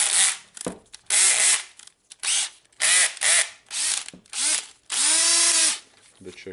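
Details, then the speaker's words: DeWalt DCD 760-series cordless drill after carbon brush replacement (part N109433), reassembled and tested: repeated short bursts of fast, even ratcheting clicks as the clutch slips; clutch working normally. "it may be no clutch here and here goes our clutch seems really good"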